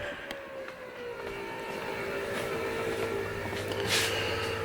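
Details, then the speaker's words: Factory Five Mk3 with 4.6 DOHC before first start, fuel pump running via jumped relay: steady pump whine, strained, rising in pitch as regulator is backed down from 55 psi toward 43–44 psi; excessive fuel pressure loading the pump. "we're at uh what is that 55 still so we're gonna back it down i'm turning this counterclockwise and you can hear the load lighting up on the fuel pump it'll get a little bit higher pitched as i bring this farther and farther down"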